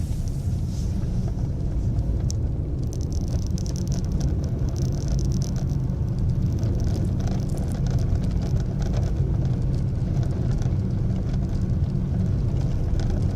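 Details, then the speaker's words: Ford Ka at 3,000 km, in the cabin while driving: scattered light ticks and buzzes over steady road rumble, on top of loud engine noise; loose interior part rattle. "Agora ele realmente tem muito mais barulho de peça solta, vocês vão ver aí, quer ver?"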